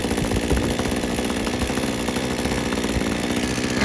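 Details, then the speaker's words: Rusty Titan TTL688HDC petrol hedge trimmer, just fixed, after air filter sponge cleaned and fuel primed, started and warming up; small two-stroke at steady fast idle, even firing with no misses or surging, normal running. "And then just crank it. And as you can see, it's got it running. It's going to leave it running for a bit, let it warm up."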